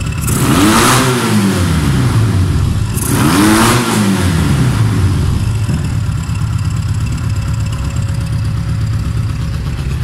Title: Super Tenere 1991 xtz750 First start after complete engine rebuild